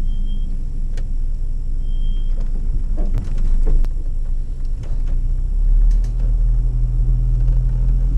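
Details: Volvo 240 2.3 petrol non-turbo, hard to start when cold and sometimes misfiring; low uneven idle rumble with occasional stumbles and ticks, misfire from very old plugs, wires, cap and rotor.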